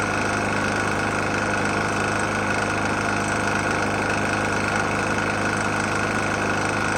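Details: Murray E450 mower, Briggs & Stratton engine, oil found nearly empty and topped up, restarted after running out of gas: the small single idles with a rough, irregular tapping through the drone; engine knock, cause unknown.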